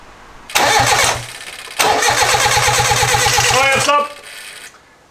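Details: Mitsubishi Lancer 4G15 turbo build, crank after oil fill with the battery just connected: two cranking bursts with quick, even starter pulses of about eight per second, no firing; healthy crank without a start, oil pressure confirmed.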